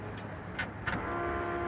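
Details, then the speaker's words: Corvair-powered buggy at key-on: a couple of clicks, then a steady, even whir from the rear-mounted Edelbrock electric fuel pump filling the carburetors, with the mechanical pump now only a dummy pass-through. Normal priming. "you'll hear the fuel pump pumping back there and that's good because it can fill the carburetors up if it's been sitting a long time as opposed to a mechanical that uh that doesn't do that"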